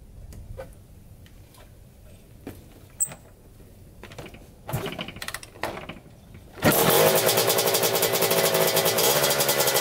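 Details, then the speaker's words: 1987 Kawasaki Tecate 4 250cc two-stroke quad, first start after top-end rebuild, on choke: engine catches on the first kick and settles into a crisp, even two-stroke rev; starts and runs healthy. "Oh yeah, fire right up, first kick. So that's awesome."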